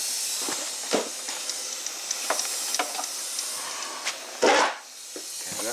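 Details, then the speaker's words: Ford 6.0 Powerstroke with the driver's valve cover removed, during an air test: steady high hiss of air escaping from a leak in the high-pressure oil system. The leak is suspected near the rear injector or standpipe. "we got the driver's valve cover off and you can definitely hear a leak on this side try to figure out what it is"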